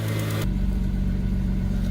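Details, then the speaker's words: 2003 Ford Mustang after coil pack replacement for misfire codes P0316, P0302 and P0304: smooth, even idle with steady low drone, no stumble or vibration, only a manifold exhaust leak audible; normal idle, check engine light gone. "but other than that everything's really really smooth there's not really any vibration that would show misfiring or anything like that"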